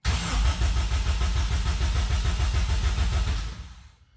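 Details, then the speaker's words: Toyota MR2 with K20 engine swap, first crank with heavily rewired harness, ignition off, before first start: even cranking at about 200 pulses a minute, every compression stroke alike, then stops; compression sounds healthy. "Sounds good, sounds good. Sounds nice and healthy. I can hear the compression building too."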